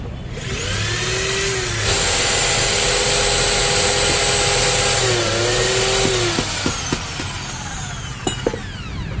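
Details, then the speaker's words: 13 mm impact drill, after repair of a no-drill fault: motor winds up to a steady high whine with a fast, even rattle under it; concrete/wall hammer mode now working normally and strongly. "that's great, the drill mode for concrete or the drill mode for walls, now the sound is working cool and vibrate"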